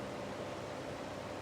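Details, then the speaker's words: Indola 10-inch desk fan at maximum speed: even rush of moving air with a faint steady hum underneath and no knocks or rattles. Very quiet, running normally. "yeah that's that's the maximum amount of noise this fan makes it's really quiet for some reason especially compar it to the other one"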